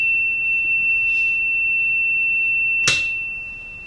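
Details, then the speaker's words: Philco 41-280 radio speaker, test tone playing, then the DC power supply to the field coil is switched off: a click, and output level sags over a second, the expected amplitude drop with the field coil unpowered. "coil and you can hear how the amplitude dropped uh which is to be expected"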